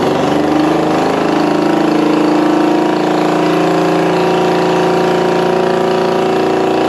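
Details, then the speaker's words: 1965 Honda CB450 Black Bomber twin, freshly installed replacement engine, first start on choke, throttle possibly not working: steady even idle with smooth hum, no knocks or rattles; a runner, normal running. "okay yeah don't think my throttle's working but that's a runner sounds good"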